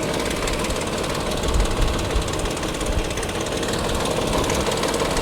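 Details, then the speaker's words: BMW at salvage auction, idling, heard under hood: fast busy metallic rattle over steady idle from front of engine; owner unsure if timing chain or cooling fan, oil looks fairly clean and not overfilled; source unknown. "I can't tell if that's coming from the front of the motor like timing chain maybe like it could be this cooling fan right here"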